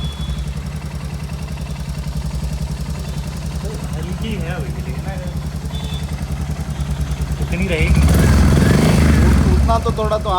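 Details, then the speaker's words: Royal Enfield Hunter 350 single at idle just after tappet adjustment: steady even thump with only a faint light tick remaining; noise much reduced, as setting fully tight would stop it starting; normal idle. "Moment of कम तो हुआ है का कम कम तो who come हो गया बहुत कम हो गया हल्का सा"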